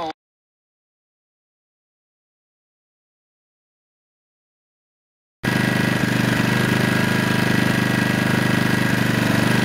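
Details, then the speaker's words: Devolo powerline adapters streaming between laptop and house, heard on a shortwave radio tuned to BBC World Service at 17.79 MHz; harsh rasping buzz with steady popping about three times a second severely impairs reception. "you can hear the popping of the devils and the rasping noise as it picks up a packet cluster for my tv player and chelsea and you can hear how it impairs quite drastically the reception of the bbc"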